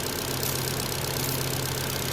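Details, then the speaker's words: 2009 Ford Fiesta Zetec 1.2 petrol, about 45–47k miles, rear-end-damaged auction car: small four-cylinder ticking over evenly with steady low hum, no knocks or rattles; normal idle, though exhaust may be blowing slightly, possibly back box. "She's running over, ticking over quite nicely."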